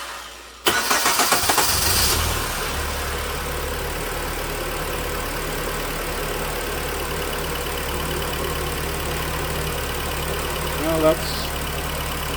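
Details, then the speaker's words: 2009 Hyundai 2.4 first start after a cranks-no-start repair: new timing chain, oil pump chain and spark plugs. Short crank, immediate fire, brief rev flare, then a smooth, even idle with no misfires. "little better than not running doesn't appear to have any misfires"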